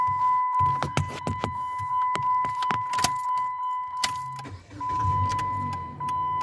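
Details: 2016 Jeep Patriot: quick uneven clicking from behind the dash, about three a second, over a chime and engine idle; failing HVAC blend door actuator, replaced with a different-brand part.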